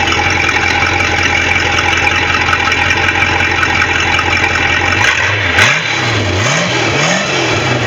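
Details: Bayliner boat engine with a bad starter: smooth steady idle for five seconds, then several quick throttle blips rising and falling cleanly; the engine sounds healthy.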